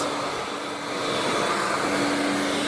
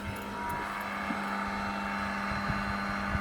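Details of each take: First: Scrapped vacuum cleaner from the tip, running on high: a steady high motor roar with a thin hum and no beater slap. The brush roll isn't turning; the owner suspects the belt. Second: Scrapped Vax/Electrolux vacuum cleaner rescued from the tip, with a cracked plug, running on high: a steady, even motor drone at one pitch with a few handling knocks. The motor sounds fine, but the brush roll isn't turning.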